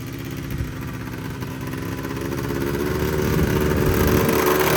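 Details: Polaris Trail Boss 350 two-stroke quad, abandoned 15 years, after carburetor clean, fresh fuel and jump start; steady buzz climbing smoothly in pitch as throttle opens, no stumble or misfire; runs clean.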